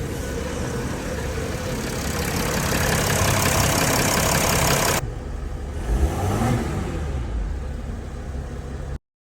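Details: 2016 Mercedes Sprinter 319 CDI, OM642 3.0 V6 turbodiesel, after replacing a turbo with a damaged compressor: the engine runs loud, then drops to an even idle with no whistle or squeal. Repaired, normal.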